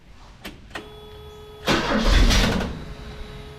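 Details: Ford Courier after swap to GM one-wire alternator, belt first wrongly routed on harmonic balancer: brief starter clicks, one rough catch that fades without idling; hard starting, owner suspects belt tension or a PCV valve vacuum leak.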